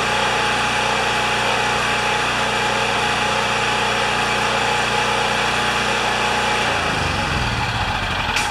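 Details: Champion 3000 W generator, brought in as a non-starter, running after service with a disliked choke adapter; tested good days earlier, likely low hours since last tune-up. Steady, even drone with a smooth fast beat holds, then the pitch drops away; normal running.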